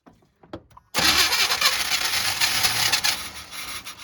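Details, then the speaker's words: 1990 Chevy 2500 truck after reassembly and timing adjustment: clicks, then starter spins engine with steady whirring churn but never fires; it ran earlier but won't restart, fuel being checked — crank no start. "All right, so I'm feeling a little bit defeated right now. I had it running, and I couldn't get it running again."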